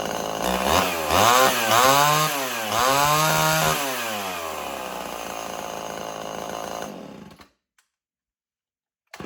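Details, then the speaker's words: Old Homelite XL 12 two-stroke chainsaw, hard to pull when hot, revs surge up and down unevenly, then sags and stalls; owner suspects a long-stored carburetor losing pressure and loading up, possibly worn piston ring. "So that's the reason why it's been having idling problems, because it's been loading up all the time and it kept trying to die."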